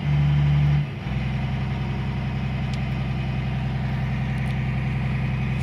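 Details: Caterpillar 345 excavator diesel after ECM replacement for intermittent up-and-down acceleration (error 36-268-2); engine catches, dips, then settles into steady even low idle, no hunting or surging; no error codes, runs clean.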